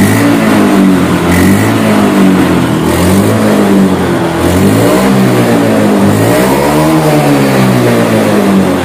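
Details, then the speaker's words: Honda Beat scooter with sputtering on throttle caused by faulty TPS sensor: after replacing throttle body/TPS, engine revs up and settles smoothly, injection warning light no longer blinking, running normally. "Hai Oke teman-teman aman ya teman-teman di sini enggak ada indikator injeksinya 4 tidak berkedip"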